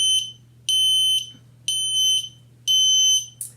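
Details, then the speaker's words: Ventis MX4 gas detector at power-on with pump running: loud high-pitched beeps about once a second, half-second bursts over faint pump hum, checking sensors, lights, vibration; normal alarm self-test. "so this one also has sensors on it and it needs to check those sensors before you use it as well so you should be able to hear that light or feel that vibration and you should be able to see those lights and hear the audible"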